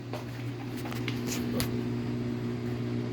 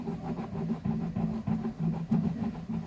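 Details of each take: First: Samsung 15 kg washer-dryer spinning after replacing the drum bearing kit, which had made very loud noise on spin, and cleaning the machine. The drum turns with a smooth, steady low hum and no grinding or rumbling. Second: Samsung 15 kg washer-dryer spinning: loud rumbling drone pulsing about three times a second when centrifuging, from worn drum bearings; shaft intact, no cracks; seal leaking grease, before bearing kit replacement.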